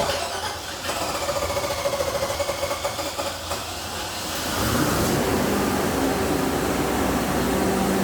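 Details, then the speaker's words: Natural-gas 5.7 Vortec small-block Chevy powering a 60 kW generator, after a soldered radiator repair and oil change: fires about four seconds in and settles into a steady, even run with no misses or leaks. "We've already tested it. We changed the oil. It doesn't leak, runs good."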